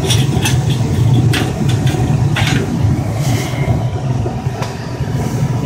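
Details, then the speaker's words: Carrier 58PAV furnace after inducer motor replacement (pressure fault code 31): steady low blower rumble, crisp clicks as gas valve opens and burners light; fires and runs smoothly. "Okay, so our inducer came on. Igniter blowing. You're going to hear the gas valve click. There. It clicked. Should have flame."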